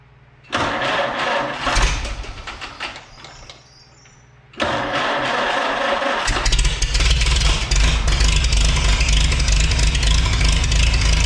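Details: Antique Farmall H tractor after fuel system cleaning, new fuel strainer and rebuilt carburetor, choked with empty system: cranks and catches, fades, restarts and settles into a steady deep even rumble; carb not leaking; normal start and idle.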